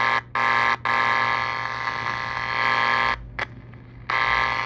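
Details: Soviet Vega 404 transistor IC AM radio (long/medium wave). A harsh, steady buzz drops out and returns each time the long/medium wave band switch is flicked: faulty band switch, later bypassed with a wire jumper.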